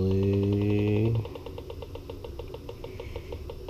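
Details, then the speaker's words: 1956 natural-gas boiler checked with an electronic gas leak detector: a loud steady tone cuts off, then rapid even beeps about six a second as readings rise in one area, later checked with micro-bubble solution. Gas leak detector alarm. "OK so you can hear the beeps and you can see they have elevated in that area."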